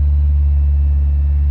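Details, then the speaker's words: Petrol car converted to hydrogen gas on the stock ECU, held at about 2000 rpm with no load, engine not fully warm; ignition timing similar to petrol, slightly less, possibly as no knock detected yet. Smooth, even drone without pinging or misses: normal running. "so it's a little bit less than where it was before but seems to be working absolutely fine so this just proves that you can run an engine on hydrogen gas with a stock ECU"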